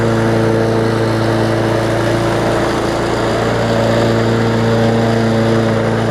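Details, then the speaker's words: Bolens push mower with Briggs OHV engine after fitting correct spark plug and replacing missing carburetor jet ball plug: steady, even drone at constant speed, no misses or surging; running properly. "so sounds good we'll let it run for maybe 10 minutes or so"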